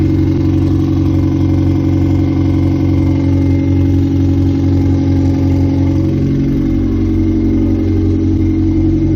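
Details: 1998 Honda CR-V running on open headers: loud, steady throaty drone with a gentle rev midway, even firing and no knocks or rattles; normal running.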